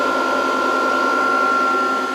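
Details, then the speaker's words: VFD at 140 V input through series lamp during capacitor reforming: lamp flashes bright then dims as capacitors charge, then the drive's cooling fan spins up with a smooth airy whoosh and constant hum, no rattle; normal. "And it took a second, but there you go. Then you can hear the fan."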